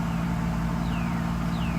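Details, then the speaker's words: Mercedes SL600 after mass air flow sensor wiring repair, outdoors: smooth, even low hum with no surging, and RPM no longer jumping as it did before the repair; MAF readings are back. Normal idle. "come on engine runs pretty nice I don't know if you can hear it"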